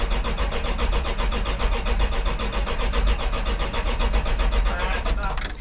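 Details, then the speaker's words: 1984 Dodge D100 with a big-block and 600 CFM Edelbrock carb, first crank after a battery is installed: steady rhythmic starter churning, about one compression beat per second, never fires; fuel starvation from junk clogging the fuel filter. "all right sounds like we just got fueled to the filter we got we got to pull that mine off and drain this junk out"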